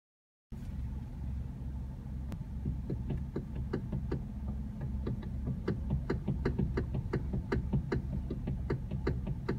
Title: Hyundai Elantra Steering Knocking noise